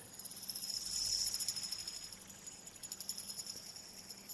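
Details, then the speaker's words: Cheap CSHIDWORLD tri metal fidget spinner spinning down: high thin whir with uneven pulsing flutter, rough and gritty, lots of drag, wobbles and wants to stop, only 45–50 s spin time; rough dragging bearing. "it just doesn't sound right there's a lot of drag there um matter of fact when I flip it over it literally wobbles and wants to come to a stop"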